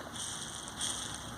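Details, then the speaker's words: Bearing freed with Maxima MPPL penetrant and spun by hand: steady gritty hiss and rasp, still very rough; races rust-pitted, bearing would fail quickly and must not be reused. "it's still very very rough won't put it closer as you can hear it it's very very rough like I said I would never reuse this"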